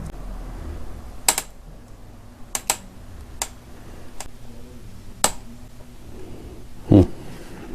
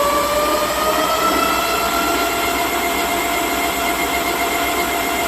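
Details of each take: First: 3000W-peak dual-hub-motor 52V 25Ah 24-inch fat-tire e-bike after a 21-mile ride: sharp irregular creaks as the rear shock is worked, caused by overtightened rear shock mount bolts, fixed by loosening them to snug. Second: Dual-hub 1500 W front and rear (3000 W peak) 52 V 25 Ah fat-tire ebike, rear wheel raised and spun up on the throttle. A smooth, steady whine gently climbing in pitch, with a slight soft start; normal hub motor.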